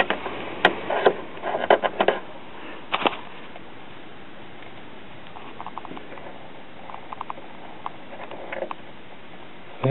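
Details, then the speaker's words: Truetone battery-operated five-tube radio with two parallel output tubes, powered from a battery eliminator (90 V plate, 1.5 V filament) with antenna connected, at first power-up. Only faint hiss and scattered crackles, no station; set essentially dead, though the audio stage later proves strong. "hearing a little static in the speaker so it appears that this thing is basically dead"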